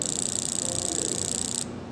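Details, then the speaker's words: Fuel injector on a bench jig driven by an injector tester: fast, even ticking about twenty-five clicks a second under a thin high hiss, then stops; injector opening and closing cleanly. "so this is how fast the pulse is actually you can listen to it with a stethoscope too"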